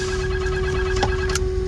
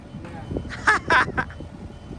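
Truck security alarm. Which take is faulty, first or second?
first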